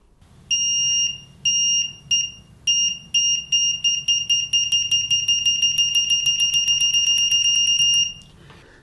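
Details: EEVblog BM786 (Brymen) multimeter continuity test with gold-plated flexible leads: a shrill steady beep, first short taps then fast repeated chirps as the probes touch, answering instantly; continuity beeper working normally.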